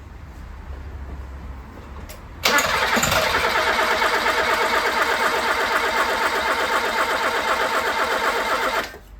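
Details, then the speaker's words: 1980s Toyota Tercel barn find, first start attempt after restoration: starter spins engine evenly just under three turns per second but never catches; owner suspects lack of fuel or empty carburettor bowl. "so it sounds like it wants to go it wants to play but it ain't going yet I don't know if it's because we're out of fuel"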